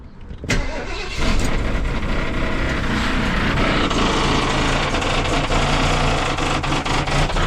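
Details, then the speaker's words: Barn-find 1973 Ford LTD before its exhaust was replaced with Speedy 10 mufflers: the V8 catches and settles into a loud, raspy, uneven idle with a blatting note; the old exhaust is worn and leaking badly. "that sounds terrible. That's the exhaust. It's terrible."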